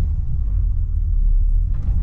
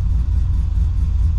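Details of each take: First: Cammed, rebuilt LS1 SS Commodore, untuned, stone cold: deep lumpy rumble that sags and chops unevenly off throttle at about 650–700 rpm; idle too low, near stalling. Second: LS1 SS Commodore V8 with big cam and other power mods, first start after flashing a modified PCM tune, no throttle: deep, lumpy, choppy idle around 850 rpm with no stumbles; normal cammed idle.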